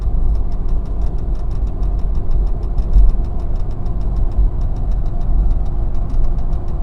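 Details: 2002 Mitsubishi Montero Limited at idle with a light regular ticking of about four to five clicks a second, described as a weird brake noise; owner suspects the brake accumulator, unconfirmed.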